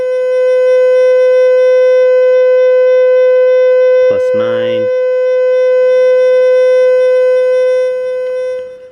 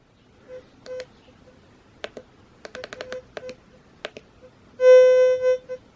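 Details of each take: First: Fisher F75+ metal detector indoors with EMI from Wi-Fi nearby, threshold turned up: loud, constant mid-pitched hum that never wavers; threshold set too high, should sit at 0 to +1 as a faint hum. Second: Fisher F75+ metal detector in static (all-metal) mode held over a nail in the floor indoors: scattered short chirps, then a steady mid-pitched tone lasting almost a second over the target; normal static-mode response.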